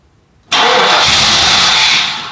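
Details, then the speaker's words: 1993 Cadillac Fleetwood Brougham, 350 V8, sat up to ten years, starting fluid sprayed into both sides of throttle body: silence, then a loud roar catching about 1.5 seconds and dying; runs only on fluid, so spark present, owner suspects no fuel. "oh yes we got something we got something okay so the fact that she lit off means we do have spark for some reason I feel like we're not getting fuel"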